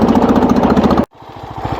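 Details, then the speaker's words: Wheel Horse tractor single-cylinder engine under load: a rough, pulsing rattle, then it cuts out and falls to a slow, uneven thump; the points and condenser wiring connector later broke. "the symptoms are when you put the engine on the load it makes this weird sound which if any of you guys have watched enough of my whale horse videos you know it's not supposed to sound like this"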